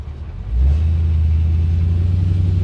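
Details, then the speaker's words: 1973 Chevy C10 with 6.0 V8 swap, coolant around 203: deep slow V8 rumble settling very low, about 600 rpm; idle speed set too low. "This thing idles low. It's like wicked low. Like 600 RPMs."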